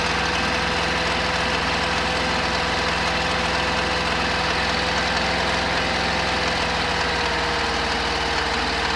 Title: 1972 Camper engine knock